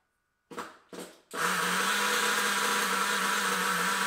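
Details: Nitro RC engine, first start after two years: after two short cranking bursts it catches and holds a high, buzzing, slightly wavering scream; running but badly adjusted.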